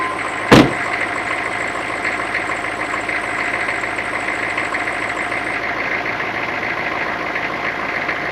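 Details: 2004 GMC 3500 diesel short bus idling right after a corroded, leaking power steering cooler was replaced and the fluid refilled: one brief click, then a steady, even hum with no buzzers; steering and brakes work normally.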